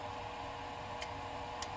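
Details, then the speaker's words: Mazda T4000 truck with drained batteries, a small lithium jump pack connected while a 20 A lipo charger pulls about 9 A from a 12 Ah Milwaukee battery to feed it; two sharp clicks over a steady hum, relay chattering as voltage dips. "pack up here so this little jumpstart pack there he's sucking every time you hear click you hear you say the voltage deepened"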